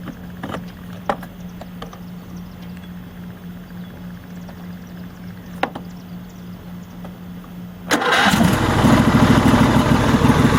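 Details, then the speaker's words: Troy-Bilt GTX2654 mower, 26 hp Briggs & Stratton V-twin, bought as a no-start (blown fuse found): starter whirs several seconds, engine catches and settles into a steady even run; normal start. "So I think it runs pretty good."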